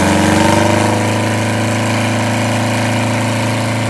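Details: Detroit Diesel 8V92TA in a Wanderlodge RV: rough, uneven idle with a loping miss about three or four times a second. The engine had a bad injector and scored, cracked liners.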